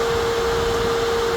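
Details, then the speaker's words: 2026 Can-Am Outlander electric ATV after the hot-coolant warning flag came on: a constant airy rush with a steady mid-pitched hum that never wavers; the cooling fan is running evenly and blowing cool air, and the front gearbox is slightly warm. "You can hear the fan uh, turning on. Come on. It's awesome, right? Um, but everything's cool. As far as I know, it's working like it should."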